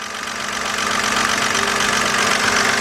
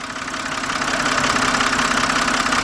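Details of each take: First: 2007 BMW 328xi, customer complaint of engine noise, loud tapping at start-up then fading; at idle light even tapping about two to three per second from top of engine, engine ticking; lifters suspected, cause unconfirmed. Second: 2007 BMW 328xi, engine running, stethoscope on a fuel injector: crisp, rapid metallic clicking of the injector pintle opening and closing, showing a good injector; the engine ticking complaint is not heard at the top.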